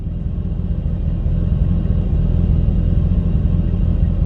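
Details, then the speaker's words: Mitsubishi Lancer Evolution IX on a cold start on a cold day, coolant temperature not yet registering, after installing a resistor: a steady, smooth idle. Before the fix it stumbled and hunted, nearly dying, until warm. "before it would just like absolutely stumble on its face forever until it was warmed up oh man I can't believe it actually worked"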